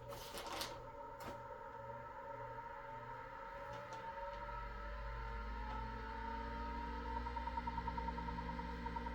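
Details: MFM hard drive that had over 200 bad clusters after a low-level format, with its head cables disconnected, powered from an external adapter before a degaussing experiment. A steady whir climbs to speed with light stepper ticking. This is a normal spin-up.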